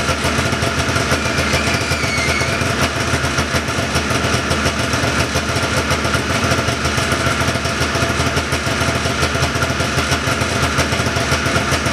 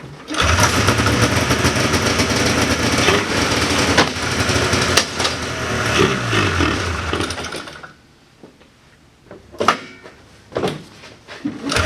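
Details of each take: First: 1979 John Deere Cyclone 340 vintage snowmobile two-stroke after carb cleaning, no airbox or filter fitted: busy even burble holding steady, a little fast, no stumbles or dropouts; idling pretty good, could use slight adjustment; normal idle. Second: 1979 John Deere Cyclone 340 two-stroke snowmobile, probably bad fuel in carb, choke on at end: ragged, surging run that stumbles, stalls, coughs in bursts; fuel pump works but pulls little, owner suspects insufficient fuel or gummed carb idle circuit.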